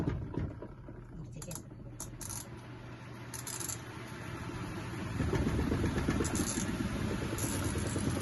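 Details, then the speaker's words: Fujidenzo spin dryer after repair, WD-40 sprayed under the spinner to stop a metal-grinding noise: steady even low hum, no scraping or rattling as it spins up; performance restored. "At ayan na nga mga kaplaneta, balik na naman sa dati yung performance ng dryer na ito."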